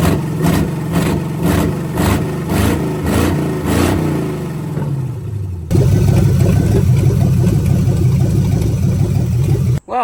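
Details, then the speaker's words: Budget-build 283 small-block Chevy with Turbo 350 in 1985 Oldsmobile Cutlass, vacuum-secondary carb, warmed through a full thermostat cycle: open-exhaust V8 blips with deep lumpy throb, then settles into steady even idle; normal, runs clean. "good that this thing runs um went through a full cycle to open up thermostat and everything thermostat works good obviously"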